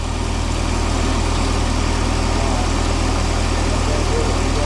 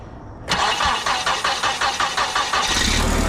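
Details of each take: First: Mini forklift engine, propane-fuelled, radiator suspected of leaking coolant: fast, steady idle that never drops to a low tickover, idling really high; throttle cable binding. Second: Propane-fuelled mini forklift engine, after fixing the propane blocking the intake and the throttle linkage, battery at 12.2 V: about two seconds of quick, even cranking, then it fires right up and runs steadily on the first try.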